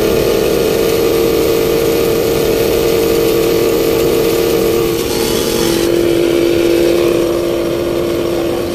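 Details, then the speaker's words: Midea inverter split-type aircon whose outdoor unit shuts down with no error code: loud steady droning tone dropping slightly in pitch over the running roar, not from the cover; low 85 PSI and 2.9 A; compressor fault suspected, not confirmed. "Napapansin niyo bumibirit siya, pero yung tinamo yung pakinggan natin yung ano, yun oh. Tunog."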